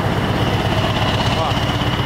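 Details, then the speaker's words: Old truck (143) diesel engine after water got into it, warmed up at idle after repairs: steady even low rumble, no knocking or ticks; running normally. "Tá funcionando, não tem nada batendo. Normal. Esse barulho é o barulho dele"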